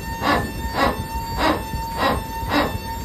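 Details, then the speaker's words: Airbus A320 hydraulic system after power accumulator deactivation and leak check: rhythmic barking pulses about twice a second over steady hum from the PTU, normal operation. "that's the PTU it makes this sound"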